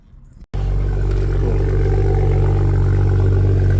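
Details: Car started after an engine oil and brake fluid service: after a brief silence, a smooth, steady low hum with no knocks or ticks; sounds healthy. Normal running.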